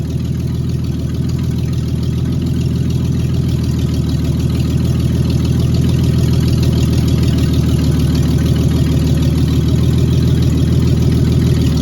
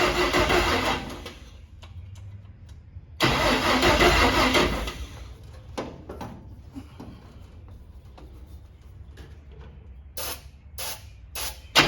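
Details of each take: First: Cab-over van conversion engine after refitting the distributor cap, on an electric fuel pump: steady, even low idle with no misses, knocks or ticks, oil pressure 40 psi; running smoothly and healthy. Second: Cab-over van engine with carburetor opened up and fuel line run to a can, battery getting weak: bursts of brisk cranking that never fire; fuel pump not delivering fuel, owner suspects a clogged filter.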